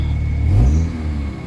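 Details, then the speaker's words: Old Kia Pride with low power and heavy engine vibration, revved with the air conditioning on before treatment: deep, uneven rumble, revs rise and sag without a solid pull; runs rough and vibrates strongly, internal engine condition suspected. "Pangit yung ano yung andar ng engine sobrang lakas na ma vibrate ang lakas ng vibrate"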